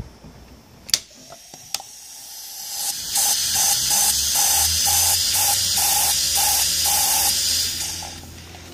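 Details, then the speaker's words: Mercedes SL55 trunk lock vacuum element cracked: sharp hissing rush with fluttering pulse about four per second, sound changes when latch closed over damaged area; vacuum leak. "so you heard that when I close it down behind there is a difference in sound because I'm closing the damaged area so let's do it again so this is basically the trunk Li air leak okay so they they all break it's just a poor design"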